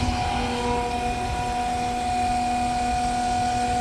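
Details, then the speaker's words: Inexpensive RV macerator pump (about 12 gal/min) draining as black tank runs low: steady mid-pitched hum with constant tone over light gurgling flow; normal running. "and these cheaper ones run much better and much quieter can hear it tearing through the toilet paper and stuff other stuff"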